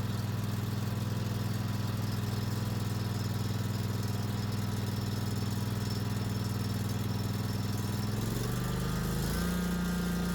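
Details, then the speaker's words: Kawasaki FS600V twin mower engine after installing a new replacement carburetor: smooth even low hum, revs step up cleanly with no miss or knock; running normally. "With a smooth start and a reassuring hum, it's evident that our work has paid off."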